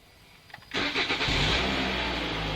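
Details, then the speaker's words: 2017 Toyota C-HR after SkyBrake immobilizer installation. The tag is read and the LED blinks, then a quick crank catches at once and settles into a smooth, even idle. Normal engine start. "LED clignotante, à savoir antidémarrage a vu notre marque. Maintenant, je peux commencer en toute sécurité moteur."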